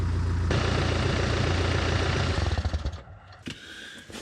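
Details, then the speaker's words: BMW X1 diesel idling with the exhaust removed during a flex disc (guibo) replacement: loud, deep, raw rumble with even pulses about 214 a minute, then it shuts off. "Sounds like a base boosted fart cannon if you ask me."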